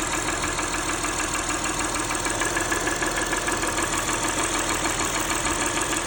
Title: ticking engine valvoline restore + protect 3rd oil change with purolator boss filter rough idle a/c